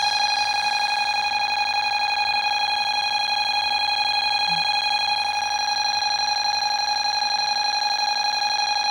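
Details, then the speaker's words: Bosch B9512G security panel, armed with all enabled zones tripped: loud, unbroken high-pitched siren tone holding steady as the intrusion alarm sounds. "So, every zone is now on alarm that's enabled."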